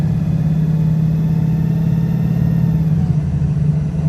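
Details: Arriva VDL SB200 (Pulsar) bus with Voith automatic gearbox, under way: heavy low diesel drone with uneven, lumpy firing beat, misfiring and sounding very unhealthy; cause not confirmed.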